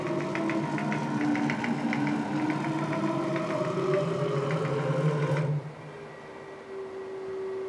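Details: STEPPERONLINE Nema 23 integrated servo (90W/180W) on a CNC mill conversion: a buzzing drive noise, then a steady mid-pitched hum while holding still, seemingly after stopping in the forward direction. Abnormal standstill hum, cause unknown.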